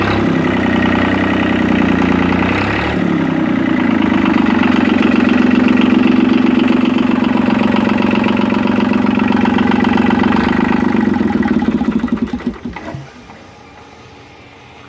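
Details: Yanmar 3QM30 marine diesel, jump-started with the decompression lever in run and no cooling water connected, runs with a steady, firm low clatter and no misses, then shuts down and coasts to a stop. Oil pressure reached 75–80 psi. Normal running.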